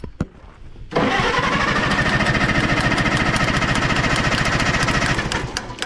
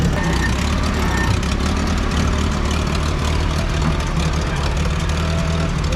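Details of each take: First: 1960 International tractor: starter cranks steadily with even compression beats but never catches after it ran briefly then died; choke tried, and the owner suspects no gas, possibly all leaked out. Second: 1960 International tractor after adding fuel: deep, steady low rumble with no stumbles or misses; idles smoothly and sounds healthy.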